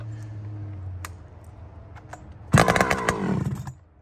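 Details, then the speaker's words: Chainsaw with new aftermarket muffler being retuned, jet cracked back a quarter turn: quiet idle then a harsh burst that stutters and falls away within a second; bogging from a lean low-speed jet. "It was a little bit low. It stuttered a little bit."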